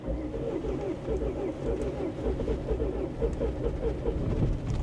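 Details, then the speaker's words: Bentley Flying Spur salvage car with 107,000 miles, accelerator held slightly open: slow, uneven cranking pulses for five seconds with no catch; hard cranking, no start, owner suspects a compression issue. "yeah so it sounds like it's trying to start sounds like a compression issue to be honest so we're not off to a good start but at least it's trying"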